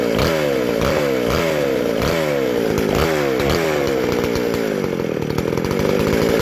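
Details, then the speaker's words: Vintage McCulloch SP125 two-stroke chainsaw with 36 inch bar, after fixing a large carb-to-intake gap and loose throttle linkage; repeated crisp throttle blips climb sharply and drop back cleanly, no stumble or bog; normal revving, still needs fine tuning. "That is awesome. Awesome. Man, that feels just like the race saw when you hit that throttle. Just snappy."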